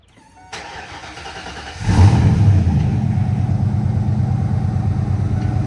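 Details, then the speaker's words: 1992 Ford Mustang started from a completely cold engine: the starter cranks briefly, the engine catches within two seconds and settles into a steady, even low idle with no knocks or ticks; a normal cold start. "We're getting a lot of questions about the car, so I want to show you guys the vehicle from a cold start."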